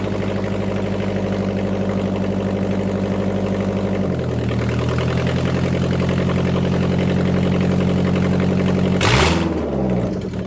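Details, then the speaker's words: 2000 Mazda Miata NB with old headers removed and exhaust cut off (rusted flange bolts), before fitting new Goodwin headers: raw, loud, rapid-popping bark at idle swelling with throttle blips. Open header dump, no exhaust. "But we're gonna start the car and see what it sounds like with the headers off. Well, basically a header dump."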